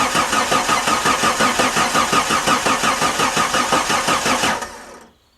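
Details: 1989 Jeep Cherokee XJ Renix 4.6L I6 stroker, first start after rebuild: even starter cranking at about 170 pulses a minute for four seconds, never fires, then stops. Cranks but won't start, with no spark.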